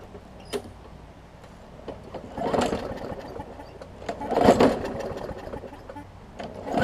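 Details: Newer Murray push mower that had oil in the gas and water in the oil: note swells and fades unevenly every couple of seconds; rough hunting running, owner plans to replace the carb diaphragm hoping that cures it.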